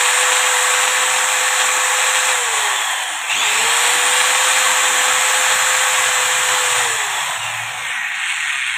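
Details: Angle grinder: spins up to a steady high whine, coasts down and restarts, pitch even with no grinding or rattle; normal running.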